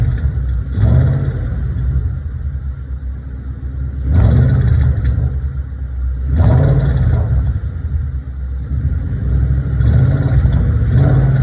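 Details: 2012 Shelby GT500 V8 idling and blipping in short revs up to about 1,200 rpm, with a light rattling/ticking noise riding on each rise; cause unknown.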